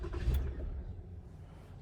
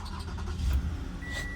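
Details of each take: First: 2015 Toyota Camry no-start, push button start, fuel pump and ignition coils already replaced: low engine rumble catches briefly then fades and dies, followed by a steady chime; starts then stalls, cause under diagnosis. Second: 2015 Toyota Camry no-start, after fuel pump and coils were replaced, with the aftermarket ignition coils found pulling voltage down; engine catches with a short low rumble and keeps running steadily; now starts and runs normally.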